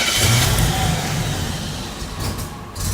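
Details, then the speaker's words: 1987 Buick Grand National after a computer reset: the starter churns the engine about three beats a second with no firing, cranking but not starting. Owner suspects a failed mass air flow sensor. "It doesn't even want to try to run at all right now, does it?"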